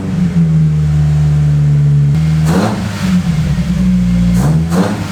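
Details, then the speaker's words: Toyota AW11 with a bike-carb 4AGE after a faulty coil pack was fixed: it hums at idle, then each throttle blip leaves the revs hanging at about 2000 rpm until blipped again. The cause is unconfirmed, and the radiator still leaks. "So when I blip the throttle, you can hear them. They stay at like 2000, and then you blip again and then they go down."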